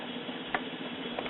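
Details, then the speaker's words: Symphonic 78 rpm record player, drive mechanism not yet cleaned or lubricated, running after amplifier repair: even steady low hum with faint light ticks, no rumble or scraping; normal turntable drive. "Well, we're running. For the drive mechanism not to be cleaned and lubricated, it sounds pretty good."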